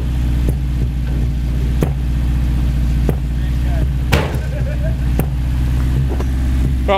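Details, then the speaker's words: Mitsubishi Cordia started after sitting about 7-8 years, with fresh gas, cleaned fuel filter and new battery. It fires within 20 seconds into a loud, steady burble through a straight-through exhaust, firing evenly with no misses or knocks. "fired up within 20 seconds it's got a young Kobe on the air and a straight-through exhaust back in"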